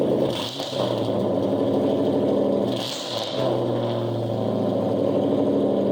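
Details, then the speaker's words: 2000 Ford Mustang GT with the 4.6 V8, engine said to be stock: loud, deep, burbling idle with sharp barking throttle blips. Exhaust far louder than stock; owner suspects it is straight piped, not confirmed. "What I was told, the engine's stock, but I think it's straight piped."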